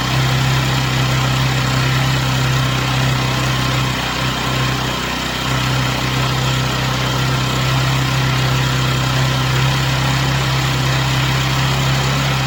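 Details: Chinese Amazon mini bike small engine after first start, warmed up on a table: steady low idle holding one pitch over ten seconds, no misses or knocks; smoke stopped, running smoothly.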